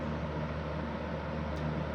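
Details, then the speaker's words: Super Electric 14-inch box fan model 1475 after restoration, bearings leaking: steady deep droning hum with constant motor whine at any speed, loud through walls; cause unknown. "But also, I've noticed that I can I can go downstairs and still hear the motor whine if it's like sitting on my floor in my room on high on any speed any given speed."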